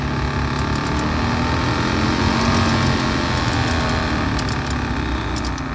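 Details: Suzuki Grand Vitara heater blower motor, disassembled and reassembled with play in it, test run: loud steady roar with rough uneven hum, even louder than before; worn motor judged finished, replaced with new.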